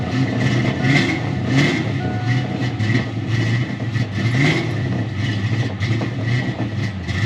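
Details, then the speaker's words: 1988 Ford Mustang LX 306 V8, cold, after a new oxygen sensor: uneven stumbling revs with irregular coughs and pops back through the intake, running rich. Owner suspects a bad coolant temp sensor. Cause unclear. "running absolutely crap popping back to the intake like it's just completely blooding out"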